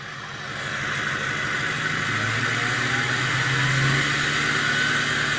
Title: 6.0 high idle and turbo whistle.